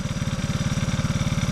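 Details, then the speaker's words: Honda ATC185 three-wheeler with a cheap carburetor: a single-cylinder thump, quick and even at a raised idle. Idle is still high and a bit wonky; owner suspects fuel delivery. An earlier timing chain tensioner adjustment quieted most of the chain slap. "Idle's still high. It's still a bit wonky."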